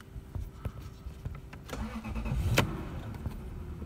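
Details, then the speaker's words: Lexus LS 430, about 87,000 miles, almost 14 years old, sat unused, extremely cold start: uneven cranking, catches and wavers at low ragged idle as if about to stall, a little smoke; rough cold start. "I thought was gonna stall it sounded like it was gonna die up got a little smoke just a little just a little"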